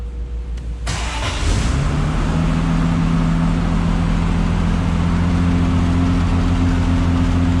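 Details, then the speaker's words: 1974 Triumph TR6 with a freshly rebuilt engine, cold start on a jump box because the battery was dead, heard from outside the car: a brief crank, quick catch, then a strong steady idle with an even low rumble and no misses or knocks. "All right, we're gonna start the car from standing outside. We haven't run the car yet out on a drive, so this is a cold start."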